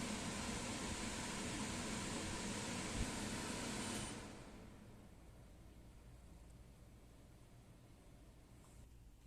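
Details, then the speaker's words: Springer Midea 12,000 BTU portable air conditioner (MPH-12CRV1), whole unit including compressor indoors, rated 50 dB but sounding louder than the window unit: steady even rush of fan air, no rattle or knock; runs normally. "Essa parte aí do ar condicionado de janela que faz o barulho que é o compressor fica para fora da janela e o portátil fica para dentro de casa então por isso que a gente Escuta mais o barulho do portátil do que o da janela"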